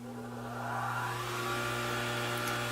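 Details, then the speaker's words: Homemade bandsaw-mill blade sharpener, grinder motor run after centering the wheel so it doesn't rub: motor whirs up to speed and settles into a smooth steady hum with almost no vibration – normal grinder run. "there's almost no vibration at all so I'm real happy with that there's like almost no vibration"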